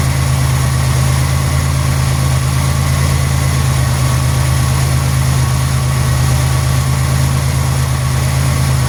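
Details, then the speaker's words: 1991 Buick LeSabre after Code 41 repair, idling: smooth, steady low idle drifting slightly up and down as the computer runs its systems test, no knocks or misses; normal. "You might hear the idle change up and down a little bit. That's the computer doing its systems test. Completely and totally normal."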